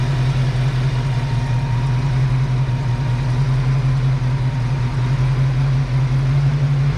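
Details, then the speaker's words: Ford Foxbody Mustang during base idle reset: steady low idle hum creeping higher as ignition timing is advanced at the distributor, SPOUT pulled, throttle position sensor unchanged; idle speed rising with ignition timing advance. "So, this is what we've learned. Your idle is also affected by your timing. There's no mechanical change that has happened here."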